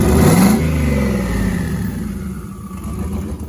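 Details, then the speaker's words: Turbocharged 5.3 LS V8 in a Dodge Grand Caravan, first fire-up: revs blip up with a rising turbo whistle that spools and howls, then fades as engine drops back; healthy turbo, normal whine. "Listen to that thing. That turbo absolutely howls."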